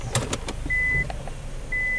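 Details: Vehicle with customer-reported loud knocking while driving; chassis-ear scope on the left axle, ball joint, spindle and upper cradle while shifting gears with the brake held: three quick hard clunks as the gear engages, chimes behind.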